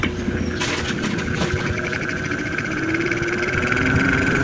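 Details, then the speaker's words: Panasonic 15 in (40 cm) stand fan on speed 1: the motor hums loudly, a steady drone that struggles, sometimes turning and sometimes not, because the worn shaft bushing has large play, leaving the rotor off-center. "Pag naka-n one at malaki yung play ng busing sa sfting yung kanyang yung ating maririnig ay umuugong."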